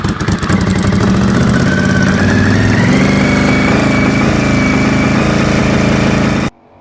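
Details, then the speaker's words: Honda VFR750 V4, cold, after work on one cylinder that wasn't firing, with the two coil packs thought to be the wrong way around; crisp even idle rising smoothly when revved, then clean cut-off, no misses; now runs correctly, normal idle and revving. "Big Team VFR now runs correctly."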